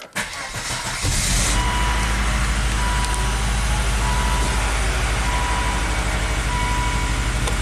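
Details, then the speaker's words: Volvo XC70 after stripped cam cover bolts were repaired and the timing belt was checked tight: quick crank, catches cleanly, then settles into a steady, even idle with no knocks or misses; no trouble codes, healthy. "alrighty let's get this thing started make sure the camshaft variable valve timing is happy there we go"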